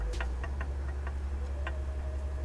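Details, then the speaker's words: Mitsubishi Eclipse DSM old small turbo, removed, shaft moved by hand: light irregular clicks, about eight in two seconds, as the shaft is pushed in and out; excessive axial play, side-to-side play minimal; replaced with a Precision 5031. "That's in and out, and then it's just side to side, which is, it's pretty minimal. That's a lot of in and out."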